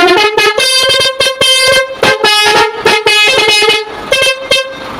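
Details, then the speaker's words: Truck multi-tone trumpet horn (basuri), used unit: choppy bright bursts, tune stumbling with gaps and missing tones; limping sound because one horn unit is broken. "jadi ini suaranya pincang ya karena ini ada rusak satu ini"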